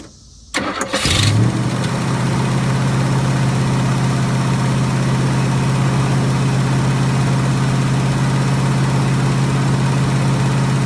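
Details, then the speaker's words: 1966 Mustang, ignition previously bypassing the pink resistor wire and melting points, now making a bright spark: cranks briefly then settles into a steady low idle with no stumble; still reportedly acting flooded, cause not found. "Still acting like flooding out. I can't figure out"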